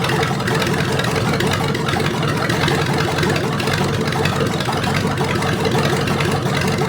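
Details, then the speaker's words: Rebuilt '73 Canadian truck 350 Chevy V8 (new piston and rod, big cam, fuelie heads), no fan, warming up: loud fairly steady idle with slightly uneven beat; rough idle, ignition timing way off and being reset at distributor. "oh the other thing is the timing was way off on this you noticed I was playing around with it to get the idle right and it was idled wrong so I twisted it around"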